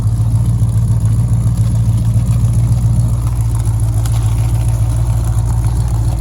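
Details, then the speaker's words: 1969 Dodge Charger 500 barn find, first running after 27 years dormant, fuel system still needs work, slight coolant leak: deep, steady idle with even low pulse around 3–4 per second, no knocks or misses; normal idle. "Sounds pretty good, too."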